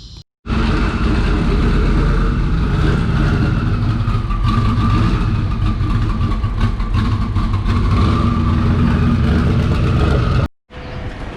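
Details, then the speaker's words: Twin-turbo Mustang Cobra with IAC valve stuck wide open, its feed hose snapped shut: steady, even low rumble at settled idle with no hunting or surging; normal idle with IAC line closed off. "all right so the car idols fine as long as i snap shut the line into the iac so basically what's happening is the ise is not closing the ic should close but instead it's stuck wide open"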